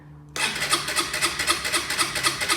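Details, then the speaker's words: 2011 Honda CBF motorbike, salvage bargain being rebuilt; starter cranks engine with even pulses about five a second but it never fires; owner thinks there is no fuel in it. "think there's definitely no fuel in it so we're not gonna be able to run it up"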